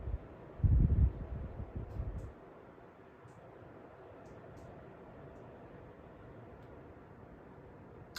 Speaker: That is on its highest fan setting.